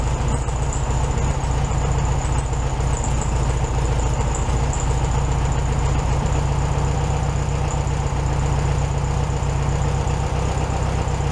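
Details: 1967 VW Beetle 1500cc air-cooled flat-four, warmed up after carburetor refitted with a new base gasket: ticks over smoothly and evenly, a touch fast but steady, no stumbling or hunting. Normal idle.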